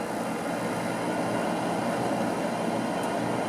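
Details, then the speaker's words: Gas furnace converted from propane to natural gas, at startup during troubleshooting of intermittent shutdowns; soft, even whoosh of the inducer fan motor at constant speed, no rattle, tick or squeal; inducer running normally. "Let's fire it up and see how she works. There's the inducer motor started."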